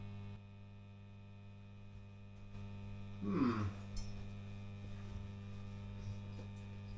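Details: Fender Blues Deluxe amp, in for a new standby switch: a steady low mains hum cuts out briefly, then returns at the same level or worse; ground loop hum, not a failing capacitor.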